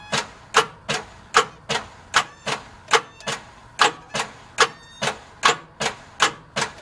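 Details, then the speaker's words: 1989 Jeep Grand Wagoneer 5.9 V8, sat outside almost 20 years, cranked on a new Duralast battery showing 12.4 volts: slow laboured cranking with a sharp tick each stroke, barely one a second; starter struggling but engine turns. "well starter is not happy with me uh trying to bump it so but i do have turn which is good"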